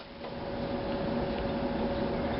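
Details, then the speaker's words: 1938 Hallicrafters S-20 receiver powered through a dim bulb tester after restoration work: only a steady hiss with a faint fixed tone, no stations when band or tuning is turned; B+ supply low, output tube grid lead found broken. "All right, I'm hearing some static. Nothing when I turn the band"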